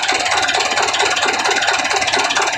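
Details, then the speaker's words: Mitsubishi Canter diesel idling after injection pump timing was shifted advanced for more power: hard, regular clatter on every firing stroke. Knock expected from advanced timing, judged no problem; smoke not very thick. "jadi untuk penyetelan brandstop tadi sudah selesai ya memang bunyinya seperti hentakan seperti ini ya tapi ya tidak masalah"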